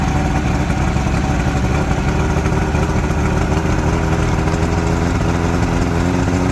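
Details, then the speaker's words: Outboard from a junkyard Ebb Tide bass boat, first run with water supplied: steady, even, somewhat high idle with a low drone and no misses or knocks. Normal idle. "before I tell you what I gotta shut the water off now we know it runs"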